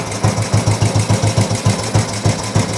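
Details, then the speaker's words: Old Royal Enfield 350 single, first start after carb work, not yet fully warm: steady even thump about three and a half beats a second with no knocks, sounds really sweet; normal idle. "unbelievable engine sounds really really sweet yeah obviously we'll get it up to temperature properly when we have a ride on it I don't think there's much up with that"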